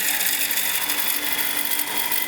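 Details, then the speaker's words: Woodturning lathe turning a maple two-piece hollow vessel: hard, fast chatter over a high ringing tone as the gouge is pushed too hard into the spinning wood. Taking it slower and letting the tool cut removes the vibration. Lathe tool chatter. "see if I take my time and let the tool do the cutting and don't rush it you lose the vibration"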